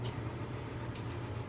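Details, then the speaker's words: Maytag Bravos XL dryer after replacing the bad idler pulley that caused squeaking. A smooth, even drum hum with no squeal or chirp: normal dryer running. "on. No more squealing. My wife's smiling behind the camera. And so am I."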